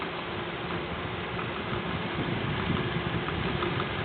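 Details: Noise from the front of the engine on an idling Honda CR-V: an uneven light rattle of about three or four taps a second, cause unknown.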